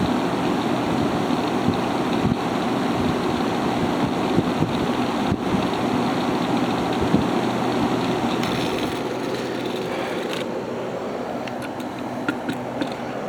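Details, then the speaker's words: Haier ESA410J-RGB 10,000 BTU window air conditioner, airflow test with the fan on high at about 1,700 RPM: a strong, steady whoosh of air with an even hum underneath and no rattles or knocks. It is running normally. "So, yeah, this thing is a lot of power."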